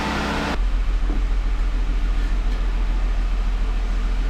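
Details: 2017 Jeep Wrangler 3.6L Pentastar, 46,000 miles, after rocker arm and lifter replacement for a driver-side ticking: engine catches straight away and settles into a smooth, even idle with no ticking or knocking; normal idle.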